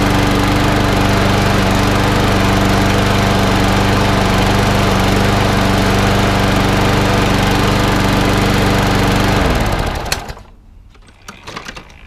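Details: Snapper 21- or 22-inch mower after a partial service (fuel leak fixed, drive and gears lubricated with WD-40): steady, even buzz at constant speed with no surging or rattles, then a clean wind-down at shutoff; runs properly, needs only cosmetic work.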